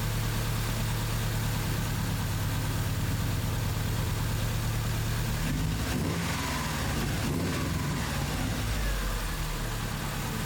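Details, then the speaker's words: 2001 Subaru Impreza 2.5RS (GC8), previously misfiring on cylinders 1 and 2 (P0301/P0302). After swapping in a used ignition coil from a running car, it has a steady, even low idle with no stumble; the coil was the culprit. Normal idle. "was it so there was the culprit right there ended up getting pretty lucky on that one"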